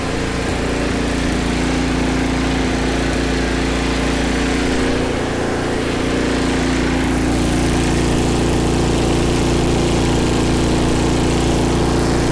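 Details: MTD snow blower small single-cylinder engine, bought with owner-reported governor issues, after governor spring moved to a different hole and high-speed adjustment: steady, even drone at constant high speed with no hunting or surging; normal running.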